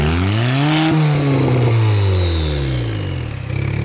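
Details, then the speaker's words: Twin-turbo Honda Civic revived with a new turbo after a distributor issue was fixed, first run outside and leaking a lot of oil: engine revs up, pitch rises then falls back smoothly with a strong, even exhaust note; running normally. "We outside with it. And we are definitely leaking hella oil, so we gotta fix that. We're outside, we run! We actually run, dude."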